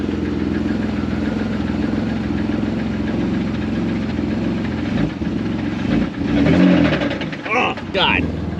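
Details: BMW with an M54 B30 engine, sat about two and a half years: rough idle with a steady loud internal knock under the exhaust, harsher on light throttle blips; engine knock.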